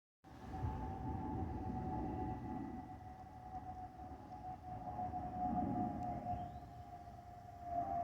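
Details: Spirit Airlines Airbus A320-232 cabin: steady high whistle over the engine roar throughout, the normal airflow whistle from the underwing fuel over-pressure protector (FOPP) inlets.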